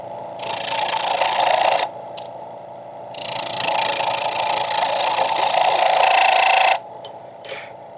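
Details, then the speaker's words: Wood lathe at 1680 rpm, Vicmarc Escoulen eccentric chuck, wood with thin sections far off the headstock: harsh rattling buzz in long bursts with ringing about four times a second; chatter from too heavy a cut. "that sound is not good it is the sound of wood too big of a cut being taken so far off the headstock"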